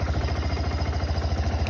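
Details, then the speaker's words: Kawasaki Bayou KLF300 ATV at idle, idles fine but won't rev up: steady single-cylinder idle with an occasional sharp metallic knock, blamed on charging voltage too high from a faulty rectifier upsetting CDI ignition timing; replacing the rectifier fixed it. "wow if you hear that that was a knock that's because the CDI is having trouble calculating when to send the impuls for the ignition for the spark"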